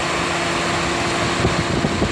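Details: Toyota Matrix idling with the AC on, after adding 4 oz of PAG 46 oil to a compressor that had been noisy from low oil: a steady fan-like hum with no knocking or grinding; the compressor now runs quietly and normally.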